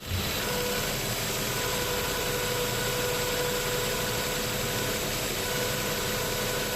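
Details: 2005 Nissan Xterra 4.0-litre V6 at idle: a steady, mid-pitched howl from the engine bay holds an even note over the engine hum; cause unknown, owner asks for help.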